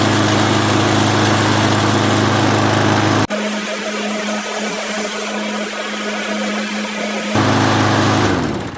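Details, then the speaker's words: Craftsman lawnmower that ran again after spraying carburetor cleaner: the small single-cylinder engine holds a steady, even buzz with no knocking or surging. A normal running engine; only a cable still needs lubing. "So the mower runs pretty good. It's pretty much ready to sell other than that cable."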